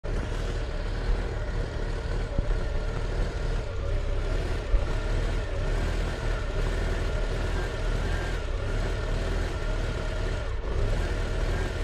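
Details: Volvo 340 B14.4E petrol engine idling unevenly with a lumpy beat: rough idle caused by dirt in the idle solenoid.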